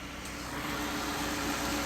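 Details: Pontiac G6 after replacing the neutral safety switch to fix a no-start: steady, even low mid-range engine hum with no knocks, misses or stumbles; engine starts and runs smoothly.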